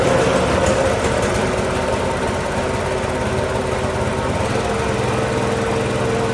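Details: Tow-behind mott mower motor on a Cub Cadet garden tractor, after the motor install and greasing the pillar-block bearings: steady, even buzz with no surging, knocking or misfiring, normal running.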